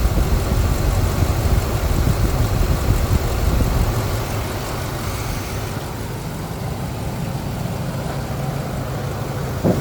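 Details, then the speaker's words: Ford 5.4 L 2V V8 after head gasket repair (Cometic gaskets, ARP head studs, compression now above 200 to 220), 3.5 in cold air intake, premium fuel: smooth, even low rumble, rock-solid steady idle with no misses or knocks; normal idle. "you can hear the engine running here I mean it's a beautiful thing beautiful sound the idle is Rock Solid"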